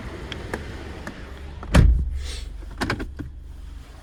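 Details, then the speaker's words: Used 2010 Subaru Exiga YA5, EJ204 engine, automatic 4WD, tested in Japan before dismantling: low, steady idle hum, revs not hunting, under some door and window clatter; engine idles smoothly. "Двигатель работает ровно, обороты не плавают."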